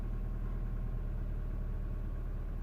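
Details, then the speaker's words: Mini One R56 with 1.6 engine swapped in for the 1.4, complaint of low power and unstable idle: after cold start, even low idle rumble holding steady, no hunting, stumbling or misfire; runs perfectly. "you might not be able to heal the engine guys but I can hear the engine absolutely perfect perfect nothing wrong with it"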